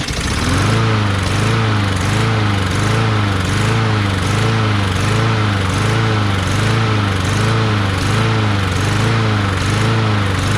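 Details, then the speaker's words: Craftsman push mower with Briggs 550EX engine, just after the new plastic carburetor replacement: runs strong and steady with a slight rhythmic pulse about once a second, some surging at first, no stalling; old carburetor was faulty, possibly a missing red O-ring. "Well, I guess you guys were right. I'm sorry, I was wrong. It was the carburetor, which boggles my mind because I couldn't really find anything wrong with that other carburetor."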